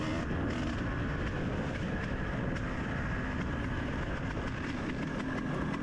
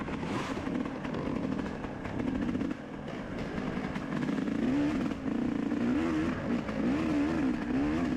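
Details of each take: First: Dirt bike racing a muddy, slick trail lap in the rain. Crisp, even exhaust note pulling steadily; it sounds healthy and felt powerful, yet the rider says it was unexplainably down on power. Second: Dirt bike in a muddy race, recently fitted with a 40 pilot jet and stock 450 main jet, rider planning to change jetting: engine pulls unevenly with brief drops and stumbles, cutting out at mid-throttle, worsening through the day.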